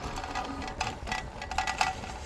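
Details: Lectric Xpedition e-bike about two weeks old: pretty loud irregular metallic rattle over a low rolling hum, from loose parts knocking around inside the down tube, fixed by the owner.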